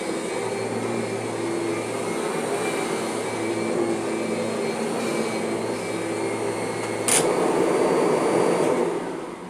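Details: Kirby vacuum: steady motor drone with only a faint, even tone from the drive; most of the original normal transmission whine is gone, sounding normal.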